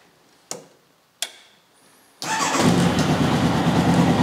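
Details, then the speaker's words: Formula Konig race car engine, cold, after new fuel filter, spark plugs, oil filter and fresh oil: two clicks, then catches at once and settles into an even idle with no stumbling; healthy cold start. "that runs up very nicely"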